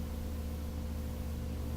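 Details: Majestic 5A455 turntable motor, rebuilt, at about 120 volts, drawing about 0.28 amps (30–35 watts), still running cool. Steady low mains hum at an even pitch with no growl, scraping or wobble: healthy normal running.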